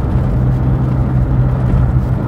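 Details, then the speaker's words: Smart ForTwo 450 on pothole-filled roads after front and rear suspension rebuild and replacement of a failed front anti-roll bar link and lower arm bush: steady road rumble, no knocks or clunks; normal suspension. "so these are as you can see horrible old Lincolnshire pothole filled Naf horrible old roads and it's driving night nicely no major knocks no major"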